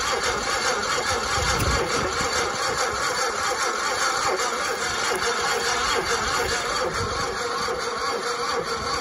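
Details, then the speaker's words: 1960 Onan industrial engine for a homemade Model T replica truck, unstarted for many years: spark on both sides, fuel poured down the neck; uneven cranking just over two turns a second, never fires; battery weak, not picking up fuel, owner suspects fuel pump lever. "I need a battery charger got spark now still not picking up any fuel"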